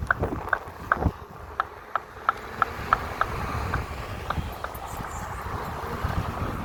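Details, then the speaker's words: Kingsong S22 electric unicycle hub motor while riding: sharp knocks about three per second in time with the wheel over the riding hum, caused by a loose hub-to-bearing fit on one side; fixed with Loctite 641. "all right i don't know what's the matter with the wheel but it's making a lot of noise"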